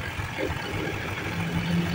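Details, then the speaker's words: Automatic scooter CVT after water intrusion rusted the roller housing and damaged the rear pulley bearing, now repaired: even low idle rumble with no squeak or chirp. The squeal is gone. "berdecit sudah hilang Alhamdulillah itu ada sih selesai"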